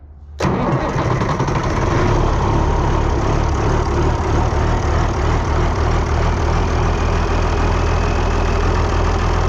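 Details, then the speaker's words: Cold start of a 1955 tractor's turbo diesel: cranks briefly, catches at once and settles into a steady, even idle with no knocks or misses; turbo whistles and slows slightly once oil reaches it. Sounds healthy. "You can tell when the oil gets to that turbo. It'll start whistling and all of a sudden you can hear it slow down just a little."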